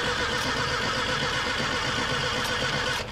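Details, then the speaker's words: Vehicle with a Mallory dual-point distributor, cranking with no start. Steady starter cranking at about four turns a second with no firing; one point set opens but the other does not move, has no spring tension, is worn out and looks burned. "This one ain't even moving one bit. It ain't got no spring tension on it. Yeah, that thing's plumb worn out right there."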